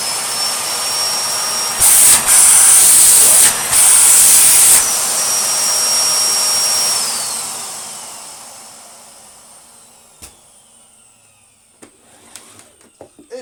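High steady motor whine with airflow rush, cycling smoothly, then winding down evenly at switch-off; vacuum motor sounds healthy.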